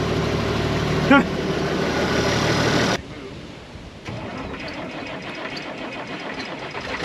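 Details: IH 4166 tractor diesel, first start after sitting since about 2015, injection pump primed: steady, even idle with no knocks or misses for about three seconds before it drops away; normal, healthy idle.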